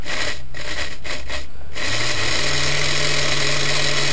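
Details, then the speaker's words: Lima 0-6-0 model railway loco motor running before repair, with a steady low hum and raspy buzz louder than expected. Lima motors are known to be noisy; the cause is not yet clear, and the chassis was later found broken. "a little bit on the noisy side maybe if anything for it's a lemur unfortunately lemurs are known for being somewhat noisy I think that's why some people just don't like them"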